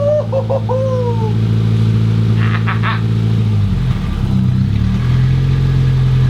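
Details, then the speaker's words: Mk1 Toyota MR2, first start in 12 years, no exhaust fitted, coolant leak pending repair: raw, loud, unmuffled drone rising and falling as the engine is blipped; runs, obnoxiously loud due to no exhaust system. "and I don't sound too bad with no exhaust on it does it kind of if you like it obnoxiously loud Happy Days"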